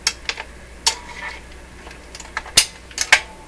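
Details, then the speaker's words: Telefunken record changer after basic maintenance, at the end of a record: a handful of crisp clicks and light clunks at uneven intervals, then quiet; with the overarm down it does not replay and shuts off cleanly. "okay so the overarm is down so it won't replay it'll just shut off"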